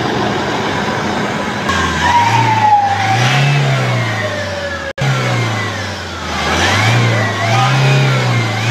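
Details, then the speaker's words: Toyota Hilux diesel, 27,000 km, revving with a whistling whine rising and falling with engine speed, mechanic suspects turbo; debris from the air filter box had entered the turbo. "Engine की side से यह अंदर भी आवाज़ ए रही है अगर आप सन रहे हैं जो की टर्बो से मुझे लग रही है की टर्बो की आवाज़ है"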